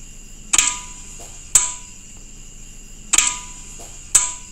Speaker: Kok suaranya tek doang nggak muter dinamonya